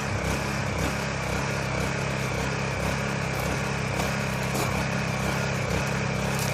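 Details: Honda EU1000i generator bought used, running bad, run after a Seafoam treatment before carburetor cleaning: steady drone with an uneven, slightly hunting beat about twice a second. Rough running, cause not yet confirmed.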